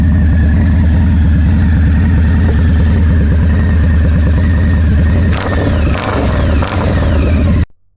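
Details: Indian Scout Bobber after installing Freedom Performance Combat 2-into-1 exhaust: deep, loping V-twin idle with a steady, even beat and a couple of light throttle blips before shutdown; healthy normal idle.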